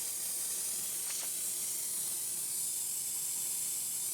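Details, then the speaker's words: Bus started after sitting a week: a steady, thin high hiss runs throughout, an air leak from a sticking self-levelling valve that is expected to free itself with driving. "you hear that air leak in there. Don't worry about that. That will solve itself over time. because the valve gets stuck. So as we drive round and it self-levels itself, it'll sort itself out over time."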